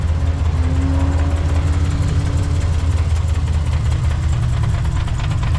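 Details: Ford Falcon being prepped for driver training; low idle with an uneven, stumbling beat about three times a second; one cylinder dropping out, traced to an unplugged injector connector; misfire.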